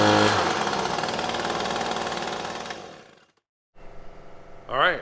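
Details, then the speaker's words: Echo PB-250LN handheld two-stroke gas blower that had been cutting out and bogging, after fuel change and carburetor adjusting-screw adjustment: high busy buzz holds steady revs then drops off cleanly, no bogging; normal running after carburetor adjustment. "that was a ticket changing out the fluid then exposing that little adjusting screw getting it adjusted just right looks like it's working just fine"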